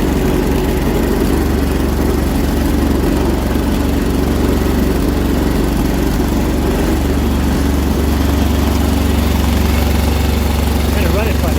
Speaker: running on one cylinder sounds like it's running on one cylinder